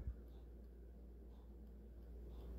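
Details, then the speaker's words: Tiger Electronics LCD Simon's Quest handheld game after replacing a rusted speaker: faint steady ticking barely above room hum; output still far too quiet, perhaps slightly louder than before, cause unclear. "hear the ticking it's just not very loud it seems louder than it was before though"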